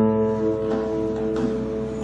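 Acoustic guitar notes ring out clean and sustained, with no rattle or buzz against the frets.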